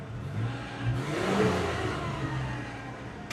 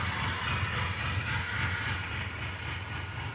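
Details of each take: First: Gen 1 Mitsubishi Montero after replacing the MAF, TPS, coil, ICM, distributor, fuel pressure regulator and coolant temp sensor: a raised, even warm-up high idle like a choke setting, as intended, running clean. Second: 1990 Mitsubishi Montero at first start after checking firing order: uneven stumbling idle with a couple of throttle blips swelling and falling back; running rough and rich, puffing black smoke, timing not yet verified.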